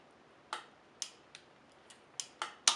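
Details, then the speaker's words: Shimano Dura-Ace BB-R9100 Italian-thread bottom bracket being tightened with a torque wrench: a few sharp dry clicks in a quiet room; wrench breaking over at set torque. "it should probably click on this one let's see listen for that little click"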